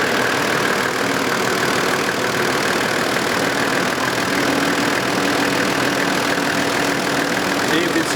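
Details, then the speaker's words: Half-million-km Toyota Land Cruiser engine idling during inspection after a quick start on the key: steady, even, regular clatter with no misses or knocks; no crankcase blow-by at the oil cap, engine healthy. "the start-up is always important to listen how quickly. These start on the touch of the key."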